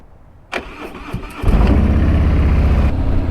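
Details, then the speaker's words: Harley-Davidson Milwaukee-Eight 114 touring bike, cold morning around 33–37°F, after switching to SYN3 synthetic oil to cure slow cold starting: brief crank, catches within a second and settles into an even loping idle; normal cold start. "this morning she fired right up no problemo super happy about that"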